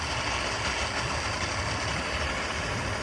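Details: Suzuki 150 outboard that hadn't run in a while, just started on a customer's boat, battery charging, no RPM reading: even, steady idle hum with light whir, no misses or knocks; normal idle.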